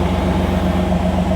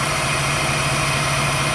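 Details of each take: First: 1989 Pontiac Firebird Formula sat 17 years, mouse-chewed wiring, after injector and ignition wire fixes: steady low rumble, even beat, no knocks; running better, normal, a little smoke. Vacuum leak suspected, cooling hoses not yet connected. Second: 1989 Pontiac Firebird Formula, sat 17 years, after injector and ignition work, run without cooling hoses connected: steady, raised, even idle with no hunting, running better but idling high; owner suspects a vacuum leak.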